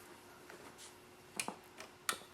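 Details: Foscam FI9821W camera speaker after reassembly with the manufacturer's fix for Wi-Fi interference; occasional sharp crackles and pops over quiet room hiss, crackling much reduced versus before. Owner suspected the Wi-Fi was interfering with the speaker.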